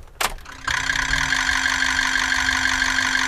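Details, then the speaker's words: Used 2003–07 Ford 6.0 Powerstroke at key-on: a click, then about 2.5 seconds of even, steady injector solenoid buzz from all injectors together, with no skips or delay. Healthy injectors. "they should Buzz all and it should all they all should sound really really good you know like a buzz the buzzing noises shouldn't have skips or they shouldn't sound delayed"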